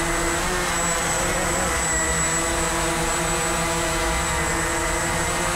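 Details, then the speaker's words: Walkera QR X350 Pro quadcopter on its first flight, just after lift-off from about 30% throttle, flying fully manual: a steady, even whir from all four rotors at constant pitch with no wobble, rattle or surging; balanced, normal hover. "and just like that we're flying 100% manual right now and it's just hanging"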